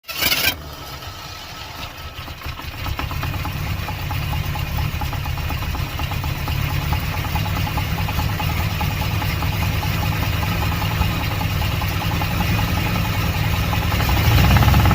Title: Ticking Noise - TC or Flexplate - Torque Converter Bolted vs. Torque Converter Unbolted